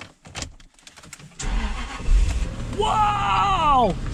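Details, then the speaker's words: Engine started with TackLife T8 Pro jump pack using boost mode, nothing else attached: brief cranking, catches about three seconds in, revs up and drops back smoothly with some smoke burning off; starts easily, runs even. "wow gotta be kidding me it starts it like effortlessly that's insane wow that's that's crazy man some smoke burning off"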